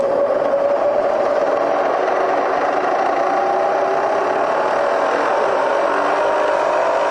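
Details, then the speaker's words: Serviced Bridgeport Vari-Speed milling head run up to top speed: smooth, even whir with a steady tone, no knocks or grinding; runs quiet and healthy. "about as high as you want to go really on a bridge Port 3,000 too hard 22 just to be kind to the machine you know see 1,000 RPM it's it's really nice really quiet"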